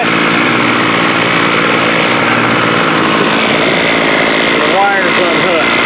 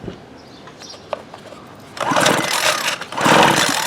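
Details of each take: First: Homelite 26cc curved-shaft string trimmer (2016), two-stroke, bought water-soaked, running after a carb kit: buzzy steady even pitch with no stumbling or surging, runs cleanly; owner notes the head won't spin at idle, possibly the switch. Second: Water-soaked 2016 Homelite 26cc curved-shaft two-stroke trimmer, spark plug out, cranked by pull cord: two loud hissing, spitting bursts as water blows out of the cylinder; water found everywhere, cylinder needs drying out.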